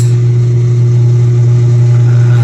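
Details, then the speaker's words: Eureka single-tub washing machine that had suddenly stopped with no power, after repair: steady, even low motor hum with no knocking or grinding, running about 14 seconds each way, reversing and forwarding; normal wash motor operation. "reverse so Mahaba haba yung ikot niya mga kan mahaba-haba 14 seconds ang kanyang ikot so Nag reverse nagforward"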